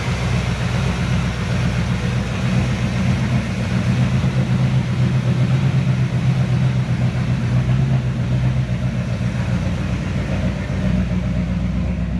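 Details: 1970 Chevy C10 pickup, 327 small block, HEI distributor, before timing fix: lumpy, uneven idle with irregular low chug and no steady beat, stinky and noisy; rough running and hard starting from incorrect ignition timing.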